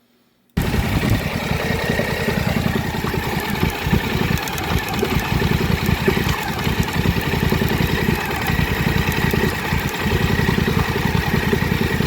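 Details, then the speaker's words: 2024 Polaris Sportsman 1000 twin with known plug-wire arcing water misfire: loping idle two to three pulses a second, holding steady. "And then as soon as we come back up, it's fine. So we're idling at 1300, between 1250 and 1300."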